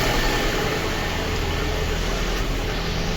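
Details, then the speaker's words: Lada Kalina 1.6 petrol, used swapped engine, coolant missing and poor cabin heat, cold start: low uneven idle stumbling as a cylinder misfires; diagnostics later flag cylinder 2, low compression suspected, head gasket suspected. "Як бачите і антифризу немає погано гріє пічка і двигун троїть зараз запущу двигун почуємо як він працює"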